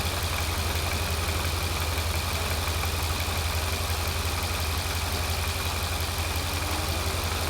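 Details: Mercedes SL55 AMG (M113K V8), fully warmed up, idling after new double idler pulley assembly and tensioner pulley replaced plastic pulleys at almost 200,000 miles: steady, even deep rumble, no knocks, squeals or rattles.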